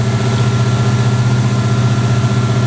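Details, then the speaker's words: 1963 Oldsmobile 88 survivor, just bought, choke faulty, running after gas poured down the carburetor: loud, deep, steady idle rumble with raw unmuffled bark from the tailpipe; the muffler is blown out completely. "muffler's blown out completely on this thing so uh definitely going to need to do something with the exhaust it sounds badass though give her a little rip"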